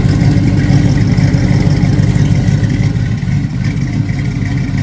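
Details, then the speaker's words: LS-swapped vehicle with short-tube headers, started cold at idle: deep loping V8 idle with a slightly uneven beat of about three pulses a second from an aggressive cam; a slight exhaust leak is noted. "You got it idle where you can't hardly hear my cam, but you can hear it though."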